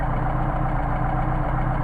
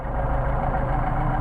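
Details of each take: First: Mercedes 190SL with machined Solex carburetors, tested at 29°F: idle mixture screw backed to the best running midpoint, giving a low, even, steady idle with no stumbling or hunting. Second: Mercedes 190SL with machined Solex carburetors, tested at 29°F: idle mixture screw adjusted past its best point, so the low idle wavers, drops off and starts to stumble.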